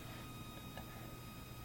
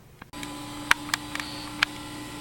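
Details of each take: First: Macintosh SE/30 power supply at switch-on, after a hard drive was installed: faint steady high whine and the fan never starts; supply fails to come on, cause unknown, possibly combined with a checkerboard video fault. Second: Macintosh Classic compact Mac computer running: steady, even fan whir over a low constant hum with a few clicks at the start, nothing uneven; machine running normally.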